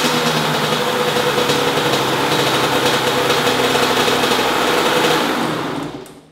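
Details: 2005 Honda CR85R Expert 85cc two-stroke, stored for months as a non-starter, after fitting a new NGK BR10EG spark plug: buzzes at a steady crisp pitch for several seconds without misses; runs normally, the old plug was bad.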